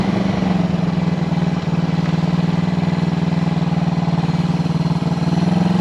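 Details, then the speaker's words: 1974 Honda CB360 twin after carb repair (number two carburetor was the culprit): even, steady twin beat around four pulses a second, clean low drone, no stumbles, idling beautifully; normal running. "well you just saw it she goes down the street pretty well now that I figured out that the number two carburetor was the culprit"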